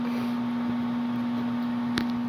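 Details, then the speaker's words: Home furnace not heating (64°F vs 68°F set), flame not lighting, control light flashing four-times code: steady low hum, no fan rush, blower energized but stalled; owner suspects fan motor, plans to check capacitor, unconfirmed. "I think it's the fan motor but I don't know to be honest"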